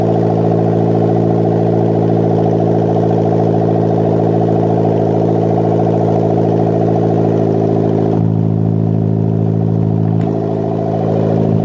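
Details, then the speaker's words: Custom turbocharged Toyota 1ZZ MR2 Roadster/Spyder build, first start with breathers and PCV venting to atmosphere and turbo oil feed left loose, not too loud; steady, even idle with smooth low drone, no knocks or rattles; normal idle. "So I'm just going to have a quick mop up and then we'll restart the engine, but by gosh, that is amazing. Not too loud either."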